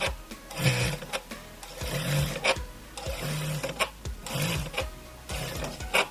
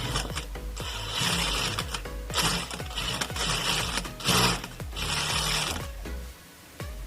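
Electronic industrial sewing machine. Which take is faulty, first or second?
first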